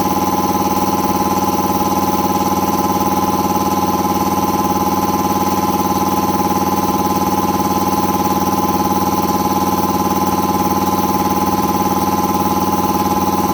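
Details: Air compressor after installing a brand-new replacement pump unit (the old pressure switch had failed and stuck, overpressuring the system), filling toward an expected 145–150 psi cutoff; steady even pump drone, regular beat about two per second, no knocking or hiss; normal running under load.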